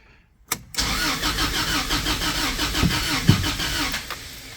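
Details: 1998 Toyota Tacoma 2.4L RWD with a two-year-old Kemso 340LPH fuel pump, hard-starting for about three months then no start: steady starter cranking that never catches; zero fuel pressure, pump not running though EFI feed has 12V and fuse is fine.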